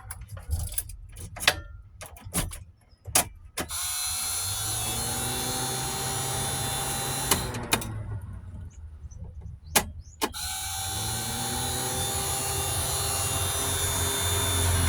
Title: Multicab Daihatsu, Hard start. Please help!